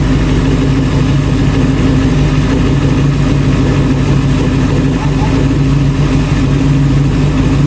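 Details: Restored 1966 Ford Bronco, first run behind its transmission after only freewheeling on a stand: steady, even idle with a deep, smooth rumble, no knocks or stumbles; normal idle.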